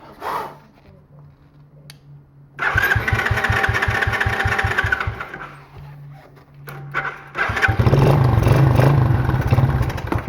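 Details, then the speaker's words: Small free ATV, ether in the intake: rapid even cranking, then a ragged brief catch that dies, running only on ether. Owner suspects a clogged carburetor that needs tearing down. "no I was just running on ether all right well so we're going to have to tear the carb down cuz it looks like that's not it's uh clogged up or something cuz it ran on ether a little bit but that was it"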